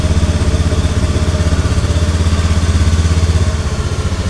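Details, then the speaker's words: Honda Beat automatic scooter with hard starting and stalling, after reconnecting a loose connection: even regular putter about four beats a second, holding idle without stalling. Normal idle. "Oke di sini menyala Pak tuh tidak mati stasioner langsam"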